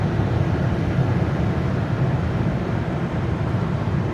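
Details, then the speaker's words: 2008 Dodge Avenger at road speed after wheel bearing replacement: steady low road rumble with no growl or drone; bearing noise gone, healthy. Owner suspects any remaining sound is rotor rubbing between the brake pads. "you can hear that the wheel bearing sound is gone"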